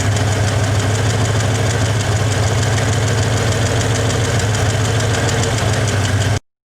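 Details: 1961 Chevy Apache V8 idling with a lumpy beat, like a cylinder stumbling, timing set to about 12°, engine not yet warmed; owner suspects it's running out of gas, with little fuel drawn through the fuel filter. Cause unconfirmed.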